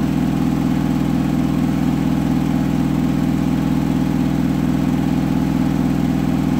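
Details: Hotpoint washing machine final spin at up to 1400rpm after a rolling bath sheet fooled the balancing and was thrown to one side: loud drone with heavy even thumping about three and a half beats a second, unbalanced load.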